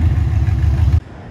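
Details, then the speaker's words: Ford 302 Windsor V8 on an engine test stand, first run after 12 years unused: deep, smooth bark on a free rev with a clean cut-off, no knocks, rattles or smoke; normal, though the water pump is suspected failing. "seen we've just given it a bit of a rev and look she's performed remarkably well after 12 years"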